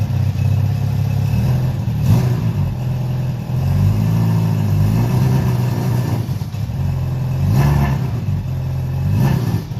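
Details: Honda CB700SC Nighthawk inline-four after carb cleaning for clogged pilots, non-ethanol fuel, 4-into-1 exhaust, no airbox, throttle cables unhooked; even idle, picks up cleanly on throttle blips and settles back; normal running.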